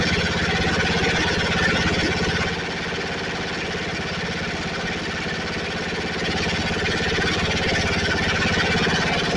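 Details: Snapper 28" riding mower, 12.5 hp Briggs & Stratton single-cylinder, hard-starting: after coil grounded by screwdriver, starts and runs steadily, firing evenly about three times a second, no misses. Owner suspects wiring short or seat switch, not key switch.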